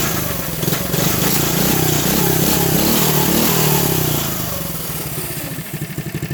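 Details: Coleman CT100U mini bike after new carburetor, fuel tank, fuel lines, filter and header pipe with silencer: catches on one pull, revs up crisply, then settles into a steady, even idle with no misfires; healthy running.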